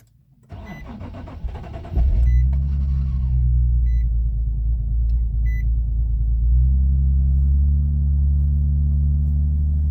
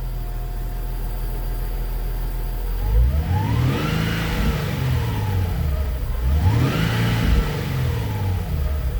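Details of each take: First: Nissan 370Z Nismo manual, cold start after sitting overnight without priming the pump, fuel gauge drops out on startup: starter spins about two seconds before catching, then low slightly uneven idle; fuel delivery issue suspected. Extended crank and rough running. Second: Nissan 370Z Nismo with long crank and low power, after fuel pump replacement, fuel pressure near 50 psi: two clean rev blips rising and falling smoothly from idle, no stumble; pressure steady, not dropping, fixed.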